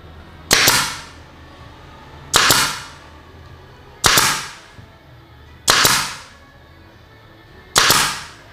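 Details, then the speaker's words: Nail gun with regulator removed, fed directly from the compressor tank at full 8 bar, firing 3 cm F30 nails: hard, violent cracks with hiss, overpowered. "bisa dengar ya, dari suaranya aja itu lebih kuat ya, dan tekanannya itu ngeri sekali. Itu bisa dikatakan overpower kalau saya bilang ya."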